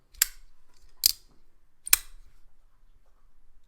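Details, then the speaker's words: Demko AD20.5 folding knife after upgrade to Skiff bearings and cleaning out gunk: three crisp, clean snaps about a second apart with no grit or drag, locking up solid and centered; smooth knife action. "see if I can hear it now nope I heard a tiny one yeah whatever I don't care"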